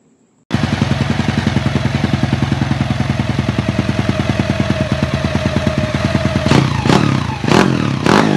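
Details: Honda EX5 single-cylinder engine rebuilt with 54 mm block, 102 mm crankshaft and Redleo 4-valve head, CJ Epo exhaust, fitted in a DY90 frame: fires straight up into a crisp, even beat then sharp throttle blips; no rattles or knocks, runs clean.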